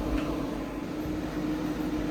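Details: Refurbished 1970 Gibson Air Sweep window air conditioner in fan-only mode with the grille on, cycling through fan speeds. A smooth, steady air whoosh with an even low hum and no rattles or scraping: normal fan running on high.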